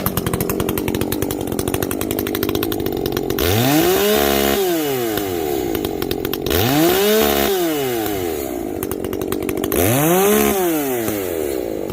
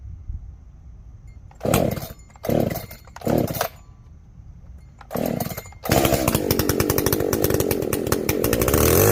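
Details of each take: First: Echo CS-590 chainsaw after a carb mod and opened-up exhaust, no longer running hot: three throttle blips climb smoothly to a clean, ringing scream near an estimated 11,000–12,000 rpm, possibly the coil rev limit. It used to blubber out around 10,500; it now revs out properly. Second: Echo CS-590 chainsaw, first start after carb rebuild with limiter caps removed: a few short revs, then a thin, strained, buzzy full-throttle scream. It runs lean and needs much more fuel, so the high jet is opened a whole turn.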